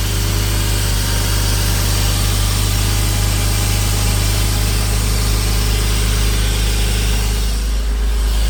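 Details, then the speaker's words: Porsche Boxster 986 idling after radiator replacement, new oil separator O-rings and air leak fix, in neutral: steady, even low hum with no hunting, stumbling or dips, no smoke; runs much better. "But, I'm going to start it up. It's a big difference now the way the car runs. Make sure it's in neutral."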